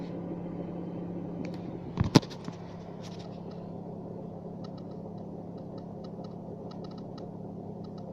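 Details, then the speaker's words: Skoda Fabia 2nd generation manual gearbox, over 250 thousand km: steady low drone and rumble at idle in neutral, one sharp clunk early. Stops when clutch pressed, slowly returns on release; owner suspects dying gearbox shaft bearing, not confirmed. "теперь нажимай сцепление звук пропал нажимаю обратно нажимаю коробка медленно медленно начинает восстанавливаться прекращается звук это значит у коробка уже умирает там подшипник внутри валы"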